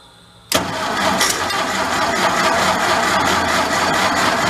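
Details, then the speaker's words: Vintage air compressor's engine, after a tune-up, choke not closing properly, hand held over the intake: quiet, then sudden catch into a loud, rough, uneven run with no settled rhythm; hard starting on choke. "So we got a decent choke. Let's see if we can close that. That's not closing very well. That's all she's got."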